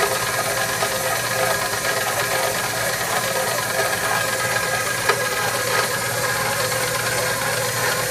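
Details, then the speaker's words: KitchenAid stand mixer (second unit, first stripped a gear) kneading bread dough on speed 1: steady motor drone under load with faint uneven rattle and odd sharp knock, something loose inside, cause unknown; hook not stalling. "Here, sounds like something's knocking around inside the machine. Like we got something inside the machine kicking around."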